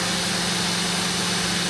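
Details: Mori Seiki NTX1000/SZM dual-spindle CNC lathe, 79,169 machine hours, 26,832 spindle hours, spindle run around 4,000 rpm, door open: steady unchanging hum and airy hiss, no knocking, grinding or wavering; spindle running smoothly.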